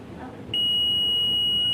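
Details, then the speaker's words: CRT colour TV with crackling, distorted sound but good picture: a steady high continuity beep on the audio input pin shows it is shorted to ground, so the audio section is shorted. "तो audio में यह beep की आवाज आ रही है आप सुन सकते हैं बी की आवाज इस ऑयो में बीप की आवाज नहीं आनी"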